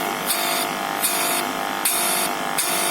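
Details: Kada 1250g gas compressor pump after repair of its magnet pressure problem, now pushing air and suction properly; even, rhythmic pulsing hiss a bit over one stroke per second, no sticking or missed beats; normal pump operation.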